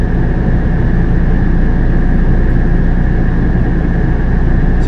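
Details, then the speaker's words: Coleman Mach RV roof AC with newly installed Micro-Air EasyStart, heard in back bedroom: fan motor kicking on, steady even low hum with faint constant whine, no knocks; 30-amp RV drawing 14 to 16 amps, normal fan operation. "all right so that's the fan motor kicking on so now we're at with the new with the fan motor on the back bedroom"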